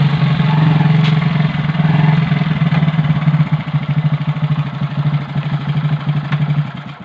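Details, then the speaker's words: Motorcycle drum brake after kerosene cleaning, sanding brake shoes and cleaning drum, then reassembly: steady low thumping engine while riding with no squeal, scrape or rub; drum brake now quiet. "कि sound जो है वो एकदम से नहीं आ रहे हैं।"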